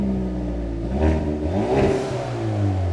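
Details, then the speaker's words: Wrecked Hyundai Veloster N with a battery fitted: engine revs up and down smoothly with a clean, even note and no knocks; sounds really good, healthy engine revving. "yeah, that sounds really darn good."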